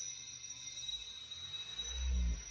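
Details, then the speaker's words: Honda Accord with active noise cancellation and an aftermarket subwoofer, doors closed: deep low boom swells from the subwoofer as ANC fights the bass; stops once the ANC unit is disconnected. "И у нас савик начинает сходить с ума. Сейчас будем отключать блок шумоподавление."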